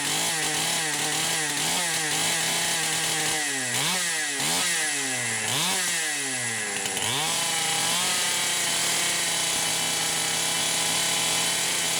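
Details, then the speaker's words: Poulan Pro 525 chainsaw (essentially a Pioneer P52) with a governed carb, run after carb gasket repairs. A high two-stroke scream dips and surges about every second, cutting out just shy of 11,000 rpm; an electronic governor or rev limiter on the coil is suspected. "but I can get it to just shy of 11,000 RPM, and that's where it starts cutting out. So I actually think there's an electronic governor on here"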